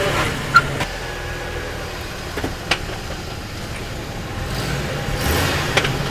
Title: Hummer H3 clunking sound